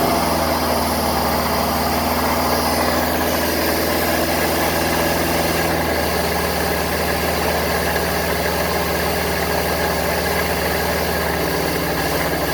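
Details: 1974 Honda Civic series 1, 1.5 L carbureted engine, cold, idling with the choke on: a steady, even low hum that settles a little partway through; it runs cleanly.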